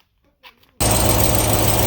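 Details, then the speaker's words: Ram TRX supercharged Hellcat V8 at idle, exhaust heating quickly: busy idle with a faint high chirp riding on it, the common "Hellcat squeak"; source unclear, suspected between exhaust manifold and pipe rather than the cast manifold. "So I decided to crawl under here because there's that squeaking sound that you even hear it in a lot of TRX videos. Like, it is very, very common."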